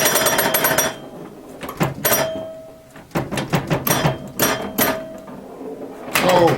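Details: Restored 1977 Williams Hot Tip, Williams' first solid-state pinball machine: sharp solenoid clacks in bursts with ringing chimes and clicker between quiet gaps, all coils and chimes firing; normal pinball gameplay.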